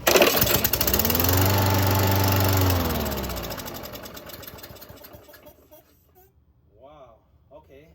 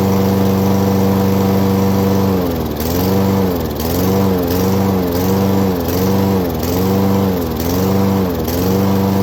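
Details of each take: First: 2011 Craftsman lawnmower, model 247.371240, pulled after a carburetor cleaning and a new spark plug, with little fuel in the tank: it catches, runs about two seconds, then winds down and stops; fires but won't keep running. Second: 2011 Craftsman lawnmower 247.371240 running after its carburetor was cleaned twice and the spark plug replaced: a steady single-cylinder note, gently rising and falling about once a second; otherwise healthy.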